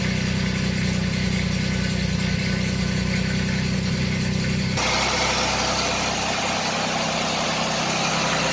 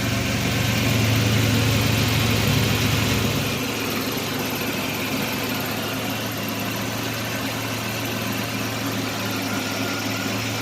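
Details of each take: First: 1989 Chevrolet Celebrity 2.8 V6, 173,000 miles, first start after lower intake manifold gasket repair, before oil change and coolant refill: engine catches and settles into a smooth, steady idle with an even low hum, no stumbling; normal idle. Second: 1989 Chevrolet Celebrity 2.8 V6, 173,000 miles: uneven, lumpy idle with wavering low hum, about four beats per second; code 44 lean condition, vacuum hoses look fine, cause unknown.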